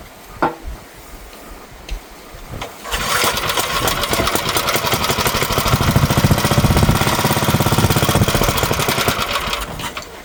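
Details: Dead-battery Gravely walk-behind garden tractor from an auction, electric start, jump-started with cables: a couple of faint clicks, then the starter spins the engine over with a fast, fairly steady chug for several seconds; cranks normally.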